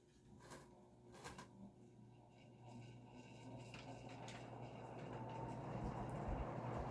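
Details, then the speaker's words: Late-1970s American Fan Mfg Co (A&G Toronado) 52" topmount ceiling fan started from off straight to high, no reverse function; low hum building with rough buzzing grind underneath, owner thinks not bearings, source unclear. "not sure about that grinding, buzzing noise either. I don't think that's bearings. I think that's something else."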